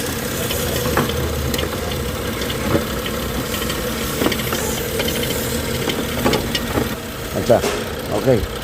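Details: BMW 640i petrol engine idling steady and even, no shudder or stumble, after fixing rough idle and chuggle from an air leak following valve cover gasket replacement; mass airflow/intake air temperature codes cleared.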